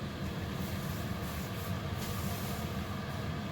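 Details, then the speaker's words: Diesel heater in a camper with a newly fitted LCD controller, warming up after a cold start with the pump under the floor adding fuel: even combustion roar and blower rush, no surging, popping or misfire; running normally. "it's all the way down under the floor I'd bet y'all can hear that but it's starting to add fuel"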